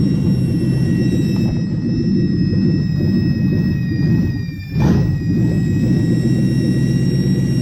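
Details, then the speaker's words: Lexus 1UZ V8 at startup idle during IACV idle stepper reset: a thin, steady high whistle over the low exhaust rumble, suspected to be an air leak. "hopefully you could hear the whistle over the exhaust"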